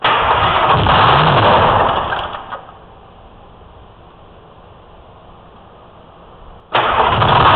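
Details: 04 Ford F-350 with Detroit 6V53 diesel and Allison MT-653, after rebuilt blower install replacing one with leaking end-plate oil seals: steady even idle, drops away, refires straight away and settles; runs cleanly, no runaway.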